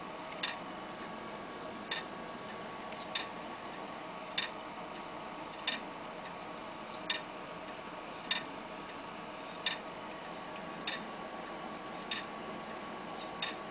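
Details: Laptop hard drive that is not read or detected at all: a lone click repeating about every 1.2 seconds in a quiet room; heads resetting on a dying drive, the click of death.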